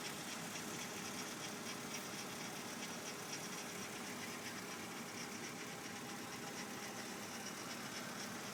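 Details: BMW E46 325i at idle: intermittent raspy rotating grind about four beats a second, from right side of engine, loudest at front right wheel; dealer suspects oil pump, but oil pressure normal, no codes or warning lights.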